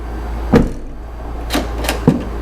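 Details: 2006 Jeep Liberty (KJ) whose tailgate intermittently wouldn't open, during release testing: three separate sharp clunks over a steady low hum as the latch lets go each time; the latch releases normally.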